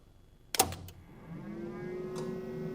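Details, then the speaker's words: DIY CNC mill with DMM AC servo drives and a Z-axis motor with brake: releasing the e-stop, which runs through the 24 V supply, gives a sharp clack as the contactors pull in, a lighter click of the Z brake releasing, then a faint hum; normal switching. "But if I release the e-stop, you're going to hear the contactors switch. And about half a second later, you're going to hear the brake release on the motor."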